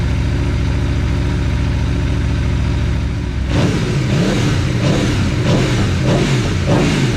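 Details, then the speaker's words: Aprilia Tuono V4 after valve clearance service and fresh oil: even idle then several crisp blips climbing and dropping cleanly, no rattle or tick; revs freely, no funny noises. "bike started it uh we were able to freely rev it no funny noises there was a little bit of uh chain clatter initially but that went away when the oil pressure built up"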